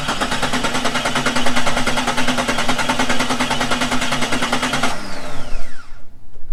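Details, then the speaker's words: Jeep XJ engine: loud, rapid, regular knocking until it shuts down and spins to a stop; deep knock that seems to come from the bottom end. "That sounds like it's coming from the bottom end."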